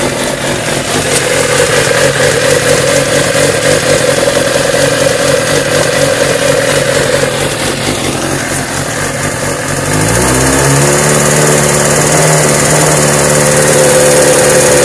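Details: 2002 Suzuki GSX-R750 K2, about 13,000 miles, warm above 120°F: idles and revs with light regular tick about four per second; owner suspects cam chain tensioner (not yet replaced) or possibly spun bearing, unconfirmed.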